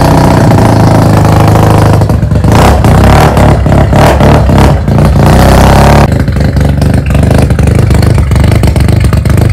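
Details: Mazda FC3S rotary being rebuilt, blipped repeatedly after the exhaust muffler was fitted (previously run without one): loud, raspy note with revs rising and dropping cleanly over a deep drone. Fuller but tamer exhaust, running normally.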